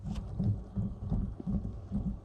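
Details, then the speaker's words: Harley-Davidson clutch hub bearing spun by hand after inner clutch hub gear teeth broke off: low uneven rumbling churn about twice a second; metal shavings got into the bearing and ruined it, assembly likely needs rebuilding. "And so that's not really a good sign. So as you can see here, some of the shavings has gone into this bearing here, so of course it jacked up all the bearings."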